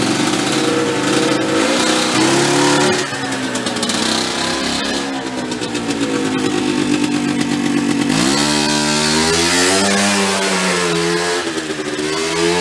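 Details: Small petrol engine on a vintage air compressor that had stalled when building pressure: steady buzzing run dipping and recovering smoothly as load changes, no stalling or surging; normal running under load.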